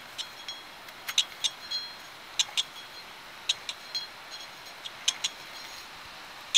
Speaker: This is the bed bearing. It makes a clicking noise.